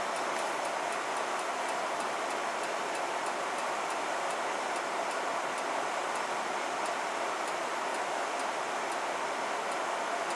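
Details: 1990 Heil gas furnace with a failing control valve, after thermopile and burners were cleaned: it lights, runs about one minute, then shuts off. Steady light ticking about twice a second with no burner roar; safety trip.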